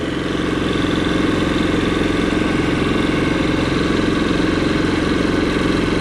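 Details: Kipor IG3000/IG3500 inverter generator fitted with a Champion inverter board after throttle wiring test: even steady hum at constant speed, no misses, knocks or surging, output light on at 121 volts; normal running.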